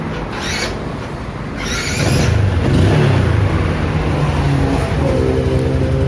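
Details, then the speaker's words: Smooth idle rising into a brief clean rev, with no knock or bottom-end rattle, on a Yamaha Spark 135i after the connecting rod, big-end bearing and 58.5 mm piston were replaced and it was retuned. It was loud before teardown and is now quiet; normal running. "ตอนนี้เงียบเลยครับไม่ได้ยินเสียงแล้วครับเล่นติดมือครับ"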